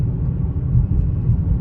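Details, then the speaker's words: Supercharged Dodge Challenger Hellcat V8 (2015 or 2016) on a test drive after a spark plug repair for a P0300 multiple-cylinder misfire, no check engine light: a deep, steady exhaust rumble with supercharger pulls evenly under acceleration with no stumble. Normal running. "all right so we're on the test drive and it seems to be fine no issue have it at 707 um but yeah let me just let y'all hear the supercharger"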